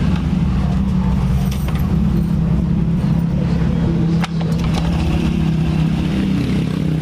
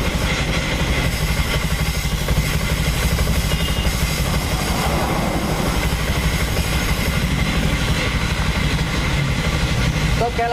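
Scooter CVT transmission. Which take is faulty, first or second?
second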